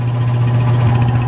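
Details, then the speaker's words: Rebuilt mid-1940s Surge milking vacuum pump, new electric motor, fresh oil, belt tension checked, first run: deep steady hum with even pulsing beat, no knocks or rattles; building vacuum, running smoothly. "I'm just gonna let it run for a little while exercise it stretches legs it's been running for a little while seems to be running well sounds good"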